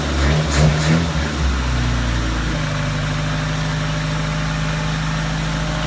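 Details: 1987 Suzuki Samurai with Sidewinder kit and 44 mm Screaming Eagle carburetor, cold start at about 20-24 degrees: after a rough catch the engine settles into a slow, low, droning idle close to stalling; idle adjustment screw turned up.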